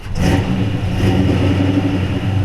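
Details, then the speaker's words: 1956 Chevy 210/Bel Air resto-mod, ZZ4 350 V8 with about 13,000 miles (35,500 on the car), 700R4 transmission, 9-inch rear: fires up and settles into a deep, even rumble with no knocks, misses or ticks. Normal, healthy idle. "great, don't it? We always like to do little segments like this so you can hear it run."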